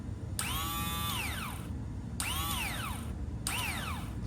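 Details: 2001 Yamaha Raptor 660 starter motor tested off the engine, grounded and fed 12 volts: three short bursts of a rising whir winding down smoothly each time, no grinding; starter spins freely.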